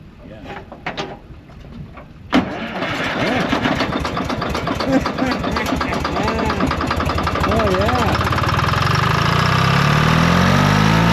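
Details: HD5 diesel cold start after battery, cable and starter-drive problems: a few cranking chuffs, then it catches with a bang and settles into a rough, steady lope that smooths as it warms; normal engine start.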